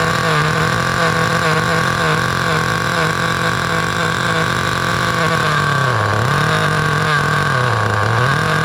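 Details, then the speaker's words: 2008 Duratrax RTX-27 1/8-scale nitro monster truck, needle leaned about half a turn after running way too rich: high, steady buzzing engine note with smooth dips and recoveries, no sputtering; running normally. "let's let's fire it up again overall we got a runner"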